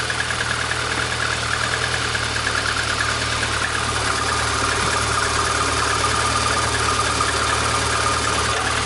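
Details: 1999 VAZ 21099, about 200,000 km, after re-tightening the alternator mounting for a whistle and sparking complaint. Even, steady idle with a faint constant high note, no squeal or crackle; sounds healthy, with poor alternator ground suspected as the original cause.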